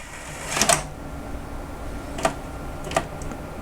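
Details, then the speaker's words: DVD-R/VCR combo after reseating its detached DVD tray: short mechanical clicks and whirs in three bursts, the drive seemingly trying to read a disc that is not there. "it sounds like it's trying to read a CD which there is none"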